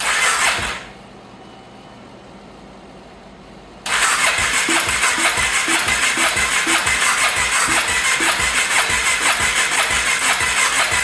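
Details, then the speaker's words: 2014 Polaris Sportsman 570 ATV, first start attempt after top-end rebuild: steady starter churn with even compression pulses about three a second, never catching. Owner unsure why, wonders if air filter must be on for back pressure. "okay something's not catching not quite sure if it maybe has to have the filter on I don't know like with that back pressure"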